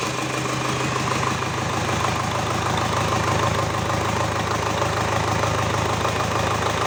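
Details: GAZ 3309 D-245 diesel after repair at steady idle with even, regular clatter and no misses or hunting; a normal, healthy idle.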